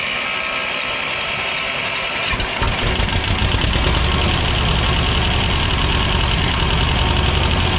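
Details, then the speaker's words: Belarus 250AS diesel tractor, about 1985, after sitting for years, homemade O-ring fitted at a seal: lumpy chugging about three beats a second, lifts slightly then stays at idle; won't gain rpm, injection pump never primed, later traced to a tiny hole in the first stage. "It won't gain any RPM. Well, it just idles. It all it'll do is idle on its own."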